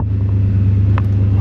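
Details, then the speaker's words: Chevy Suburban 454 V8 after the no-fuel-pressure fix, idling for 5–10 minutes with good fuel pressure, voltage and temperature. Deep, steady rumble with an even beat and no knocks or misses; all good. "it's all good it's been idling for like 5 10 minutes now"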